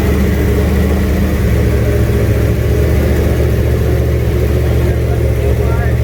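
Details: Junkyard 351W turbo V8 in a 1967 Mustang at first fire-up, new headers, wastegate plumbed into fender-exit exhaust; deep uneven rumble, lumpy idle, ragged note on light revs; runs but definitely needs a tune.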